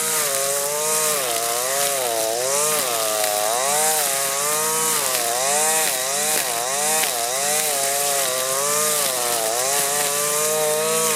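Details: Husqvarna 525L string trimmer plunged into the thickest pond-edge grass: high two-stroke wail dipping and recovering every second or so, slight bogging, revs back cleanly; healthy under heavy load.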